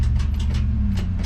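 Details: Junkyard-rebuilt 1961 Chevy wagon during shakedown, after a 38-mile drive: a low steady idle rumble with irregular sharp clatter bursts, roughly three per second, riding on top; something is wrong, cause unclear.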